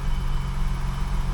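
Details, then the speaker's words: 1985 BMW 635CSi after replacing the faulty part behind its not-running problem: smooth, even low idle hum with a steady beat, no misses or knocks, oil pressure light off; normal idle. "That's running. Oil pressure light's off, so I didn't even see it come"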